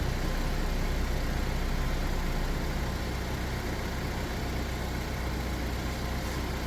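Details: 2010 Chevy Equinox, about 112K miles, after Seafoam ring cleaning with air box reinstalled: low steady idle rumble with even beat, no knocks or misses; engine sounds healthy and settled.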